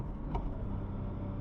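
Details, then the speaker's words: BMW F80 M3 after replacing the problem SPEC clutch with a PTB clutch, shifting from fourth to third; low steady engine rumble with one crisp shifter click, clean and easy shift, no grinding, normal gear shift. "Oh, so easy compared to what it was before. Before you just always felt like there was always a secondary engagement."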